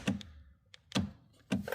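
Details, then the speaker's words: Rover 75 door locks with central locking: three short clunks with a brief motor buzz, the locks lock but never unlock; door lock actuator runs but does not unlock. "So, both of these locks do exactly the same thing. They lock, but they don't unlock."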